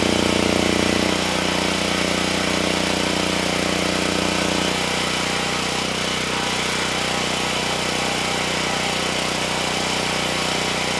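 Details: Generac GP7500E generator load test after fuel system cleanup: steady drone drops in pitch twice as load comes on and never recovers; held 60 Hz at 3000 W but failed at 6000 and 5000 W; engine down on horsepower, cause unconfirmed.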